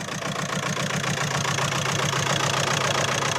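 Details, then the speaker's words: Audi A4 2.0 TDI diesel after turbo replacement, idling on an injector cleaner purge: lumpy, regular pulsing about three or four a second, engine shaking and smoking, maybe slightly better; misfire at idle, injector problem suspected. "And the engine is still shaking quite bad. To be fair, it does look a little bit better."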